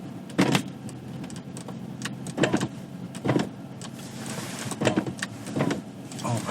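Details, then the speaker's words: 2018 Audi RS3 power window in snow: short whirring motor bursts that strain, stall and repeat every second or two. The glass is frozen into the seals; this recurs often in winter. "This window freezes shut a ton in the winter, and I'm not exaggerating."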